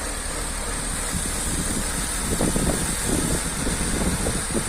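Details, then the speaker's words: 2000 Jaguar S-Type V6 at idle with brake fluid sprayed at the intake: idle rises as the engine draws in the flammable vapour, showing unmetered air entering, possibly at the intake manifold gaskets, maybe elsewhere. "donc, clairement vous voyez, le ralenti il augmente. Donc ça veut dire qu'il y a de l'air qui rentre là où ça devrait pas."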